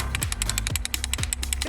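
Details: 2003 BMW Z4 M54 with rough idle, misfires and lean codes: quick, light clicking rattle as the idle control valve is shaken after cleaning, showing it now moves freely, over loud music.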